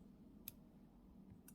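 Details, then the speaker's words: Turning the tension screw of a hairdressing scissor during maintenance and reassembly gives two crisp, isolated clicks about a second apart, one per notch, in a quiet room. This is normal; if no click is heard, assembly was wrong. "그래서 꼭 1년을 잘 보시고 이 소리 들리세요 뚝딱뚝딱 음 이런 소리가 나 셔야 되야 작은데"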